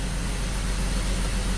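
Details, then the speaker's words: BMW X5 at idle after injector work and clearing codes, no lean code: low uneven idle with occasional stumble; engine misfire still present, less severe than before. "all right let's see what happens now a little better I can still feel misfire not as bad as it was a"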